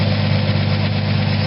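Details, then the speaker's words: 1979 Ford F-100 V8 after an aftermarket Chinese carburetor swap, new fuel pump and cleaned starter: deep, steady, even idle rumble with no misses, knocks or hunting; running well, fuel filter still to go in. "i'm gonna put a fuel filter in but other than that it's running pretty good"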